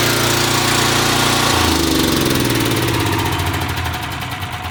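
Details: Small engine with a HIPA dual-fuel propane carburetor, carb drained of gasoline and propane purged, catches on the first pull then settles into an even steady run with no misses; normal running after start.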